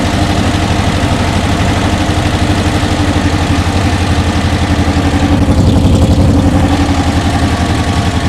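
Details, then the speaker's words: 1968 Porsche 912 1600 flat-four, revived after years off the road: steady low idle with an uneven, lumpy beat about four pulses a second and backfiring; owner blames the carburettors, valves not yet checked. "all right twisted desert a backfire those carbs man probably got what I'm gonna do is end up ordering new ones"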